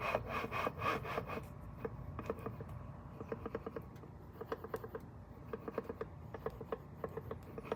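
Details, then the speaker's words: 1st-gen Toyota Tacoma 3.4 V6 TRD with 2nd-gen supercharger at idle: uneven dry rasping and scraping ticks about three a second over the idle rumble, not heard when driving; owner suspects worn coupler or play in the supercharger. "noticing some noise at an idle in the supercharger but when I get on it or I drive it I don't really hear it"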